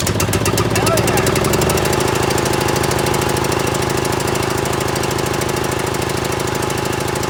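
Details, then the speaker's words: John Deere L100 riding mower, after valve adjustment, weak starter suspected, smoking: uneven chuffing beat about two and a half pulses a second, never smooths out; rough running, owner suspects bad fuel. "we're going for a rip ties are really flat and it doesn't sound right but that's tomorrow I think it's got bad fuel by the smoke and everything"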